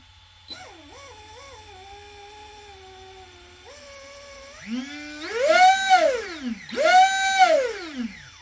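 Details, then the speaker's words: New Arrma Kraton 6S EXB RTR 1/8 RC truck on 6S, driveshaft moved aside: clean, piercing whine sweeping up and down with each throttle blip, coming from the motor, no vibration or grinding; diff fluid change planned. Cause suspected, not confirmed. "there is a high pitch noise coming from the motor let's move that drive shaft out the way it is coming from the motor I believe you can hear the high pitch noise however there's no vibrations or anything like that coming from the Mot"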